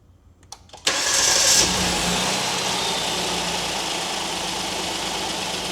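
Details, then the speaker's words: 2019 Kia Sorento 3.3 V6, start after fixing a cold-start belt chirp/squeak: engine catches cleanly and settles to a steady even idle with no chirp or squeal; normal accessory belt drive. "All right, that took care of our noise."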